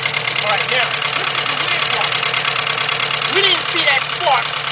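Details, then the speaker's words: 2.0 Volkswagen at idle: uneven, lumpy beat with about two stumbles a second; disconnecting cylinder 1 shows a cylinder 1 misfire, wire not necessarily bad. "oh look at that it is number one guys"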